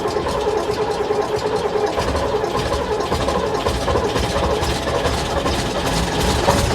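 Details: AEC Matador 7.7 litre diesel ("Bernard") on a cold, rainy day, first run after injection pump and injectors overhauled and fitted, fuel system bled; steady, even diesel clatter at fast idle, no knocks or misses, sounds all right; normal running.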